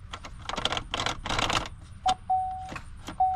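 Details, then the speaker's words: 2008 Chevy Impala that owner reports won't crank: quick bursts of dry clicks with a steady dash chime, engine never turns over; jammed starter, to be fixed by replacing the starter. "so guess what starter Jam starter lock so what I'm going to do is replace the starter"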